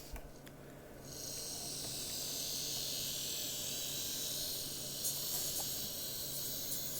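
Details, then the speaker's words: Graham Farish Class 44 split-chassis N-gauge locomotive after broken gear replaced, on DC crawling through tight set-track curves: steady even high motor hiss, no clicks, stalls or surges; normal running. "trying to move the light over yeah she is running an absolute treat so i'd say she's good"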